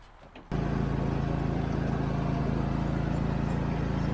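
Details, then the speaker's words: Mower after spring-tension reassembly repair, test start and cut: fires up and settles into steady even drone with no misses or knocks; working great. "Well, it seemed to be working great. I gotta tell you, I was relieved that I wouldn't have to cut all these weeds with the string trimmer again like last year."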